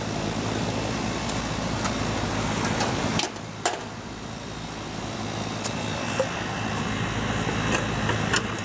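Steady low hum with a constant fan whoosh and only a few light clicks; the condenser is running normally.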